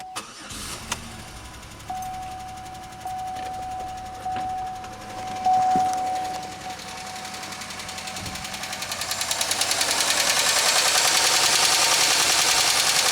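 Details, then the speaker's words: 2003 Pontiac Grand Am GT that still runs and drives: cranks and catches, then a fast, even ticking about three per second rides over the idle. Upper-end noise; owner suspects a lifter, not rod knock, possibly needing a new cam and lifters. "definitely sounds like upper end noise i can't get it off now oh well all right so i think that's lifter i think that's a lifter noise i think that would be a whole lot worse if it was a rod knock"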